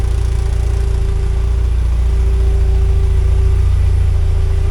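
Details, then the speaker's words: 1979 Porsche 924 idling with newly installed fuel pump, after fuel tank cleaned of dirt and water: faint even pump hum over smooth idle, still some noise but not the old pump's howl; normal. "alright. Still makes noise, but not nearly the same howl as the other one."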